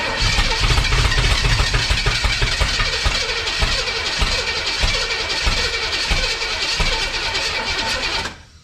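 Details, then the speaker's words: 1962 Impala 350 V8 start attempt after hooking up fuel: starter churns roughly about four beats a second with uneven firing attempts that never catch; owner suspects too much ignition timing. "Well, she just tried. Man, we got too much timing now."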